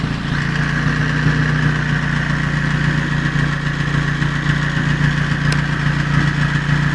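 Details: Toyota 5A engine: a steady note with a faint, rapid, light tapping over it as it revs. Valve clatter is suspected, not confirmed.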